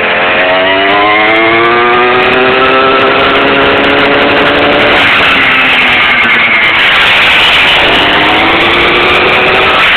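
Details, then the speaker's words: Cheap new motor on a homemade scooter given 100% throttle bursts during its last warm-up, with the rear brake disassembled and the front wheel spinning freely. A loud high whine rises and falls with motor speed; the cause is unknown. "she's got a lot of torque, not much top end. This is her last warm-up period, so I'm giving her little initial burst of 100% throttle. So I'll do it one more time for y'all, so you can hear the whining."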